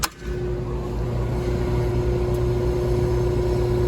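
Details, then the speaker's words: Older Evcon R407C central AC condenser, no cooling: a steady electrical hum but the compressor won't start. The capacitor tested good; a clamp meter is on the black wire to PERM on the dual capacitor. Pressures not equalizing; restriction suspected. "Compressor ain't starting. Compressor ain't starting. And we got some kind of restriction on the system too."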